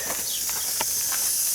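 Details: Backyard landscape drip irrigation system, heard at the valve with the water on before shutoff: a steady high, airy hiss of water rushing through with no chatter or hammering, a zone flowing normally.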